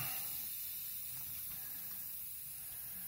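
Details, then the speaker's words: Seiko SKX007 with sapphire crystal, new seals, SARB059 crown and aftermarket caseback, pressurised to 11 bar and immersed as pressure is released; faint, steady high hiss; a stream of air escaping from the caseback recess, failing the pressure test. "water should have got into this case even though there was a stream of pressurised air coming out of the case"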